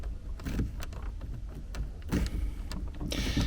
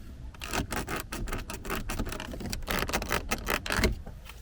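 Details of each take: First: 2019 Skoda Kodiaq 1.4 TSI after disassembly and refitting of the squeaking passenger door grab handle: squeezing it gives only soft taps and rustles, essentially no squeak, unlike the untreated rear handle. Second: 2019 Skoda Kodiaq 1.4 TSI, 150 hp, AWD, manual, 17,500 km: quick dry plastic creaks and clicks as the interior door grab handle is squeezed by hand. This is the annoying creak.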